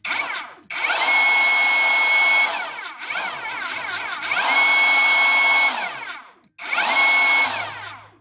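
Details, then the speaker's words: Chinese Makita-style cordless mini chainsaw after controller replacement, disassembled, running at maximum speed setting: high whine spins up and holds, then a faint scraping rub as the motor coasts down; mechanical problem suspected, source not identified. "там шоркает вот когда останавливается двигатель слышите шорк шорк поэтому всё-таки надо разобрать и посмотреть что там может быть какое-то механическое есть проблема"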